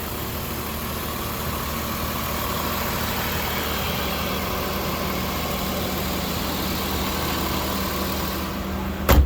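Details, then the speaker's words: 1994 BMW E36 325is, original iron-block M50 2.5 L inline-six, 135,000 miles: a smooth, quiet, even idle hum with no ticking or rough beats. Normal healthy idle. "there it is guys the faint iron block M50 engine original with that same intake that's supposed to be so good that they actually put this on other BMWs as an upgrade"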